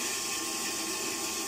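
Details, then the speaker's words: Noisy circulating pump in a commercial plant room with Ideal Imax Xtra boilers and plate heat exchangers: steady harsh high rushing hiss, no knocking; sounds as if it may be running dry, not yet inspected. "sounds like it's running a bit dry, or yeah, it sounds a bit funny."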